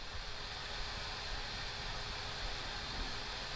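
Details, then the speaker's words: Steam Deck after applying the fix: a quiet, even airy whoosh with no piercing high-pitched whine like it had before; the cooling fan sounds normal. "You can hear it whooshing. But it's not a"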